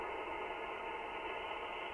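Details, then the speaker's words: Ham radio receiver: steady hiss with thin drifting whistles, interference from switch-mode power supply, shifted in frequency by turning the supply's noise offset control. "There's another one. Now I can prove to you that that's coming from the power supply."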